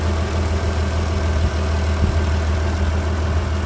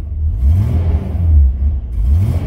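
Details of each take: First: 2003 Mitsubishi Pajero NP 3.8L V6 after MAF sensor replacement, codes cleared: steady low hum with even beat, nothing knocking or missing; smooth healthy idle, no hesitation. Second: 2003 Mitsubishi Pajero NP 3.8L V6 automatic, check engine light on, code P0100: revving rises and sags unevenly in surges rather than climbing cleanly; hesitation from faulty MAF sensor.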